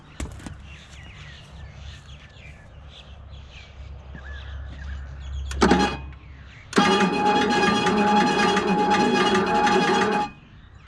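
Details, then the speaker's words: Plymouth Valiant AP5 with 225 slant-six, parked in a paddock since 1985, cranking very slowly with a labored, uneven starter grind and no catch; starter/solenoid suspected after sitting, cause not confirmed. "so I turned over but really really slowly but we'll give her a chance 1985 is a long time ago"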